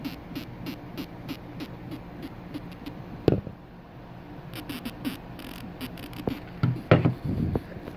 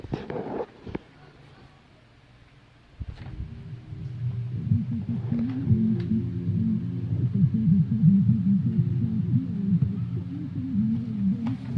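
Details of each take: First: Electro-Voice ELX118P powered subwoofer amp board (swollen capacitors found) on test with a small speaker: faint program sound keeps fading and dropping out in irregular bursts. Cause was a bad connection in a cable, not the corroded spade terminal that was resoldered. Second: Electro-Voice ELX118P subwoofer after a no-power/no-sound repair (the power fault was fixed and a bad cable connection was causing the low sound): after a click, deep bass plays clean and strong with no hum or crackle; it plays normally.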